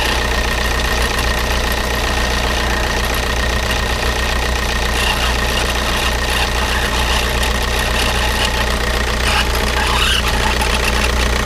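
Diesel idling with an uneven knock running through it at roughly two per second; something abnormal inside, cause not yet pinned down.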